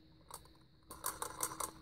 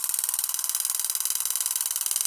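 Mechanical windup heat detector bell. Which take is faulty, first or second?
first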